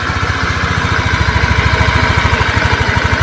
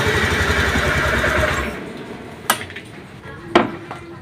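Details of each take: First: Honda Beat fuel-injected scooter that was hard to start, lacked power and would not idle; weak battery, so kick-started: even single-cylinder idle, steady and healthy; ECU and TP sensor reset still advised. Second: Honda Beat injection scooter that is hard to start, lacks power and won't idle, with strong spark: it cranks and catches after a few tries, then revs flat and uneven and won't settle; fuel pump pressure and injector are fine, and compression is checked next; low compression from worn piston rings.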